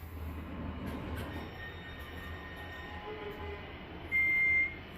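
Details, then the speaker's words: Late-1980s Otis elevator, recorded in the car near a corner: low rumbling ride with faint rattles and a brief sharp squeal; a roller seemed worn, and after limit switch work it is slightly better but still noisy. "still tons of noises on this thing but it's a little better now anyways thanks for watching"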